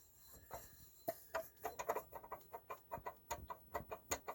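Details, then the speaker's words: 1977 Honda Odyssey FL250 engine rotated by hand: soft rhythmic scuffing strokes, about three or four a second, just the piston rings sliding up and down, zero crank play; normal piston ring movement. "noise you're hearing right there by the way is just a rings going up and down see that's the noise you're hearing back and forth which means I got zero crank play"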